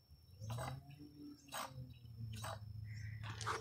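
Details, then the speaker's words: 2002 Chrysler PT Cruiser with a loose, worn wheel hub bearing. A low, rough growl with a scraping rasp about once a second. The hub bearings were replaced. "on this side you can hear the bearing is loose and actually makes this noise"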